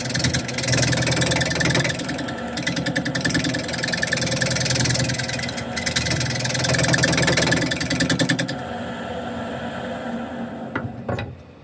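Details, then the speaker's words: Wood display piece turned on a lathe, slightly off-center with one thin side: rapid rough rhythmic chattering, about three knocks per second, stopping as the lathe spins down; the noise is a split in the workpiece. "So that noise is the split."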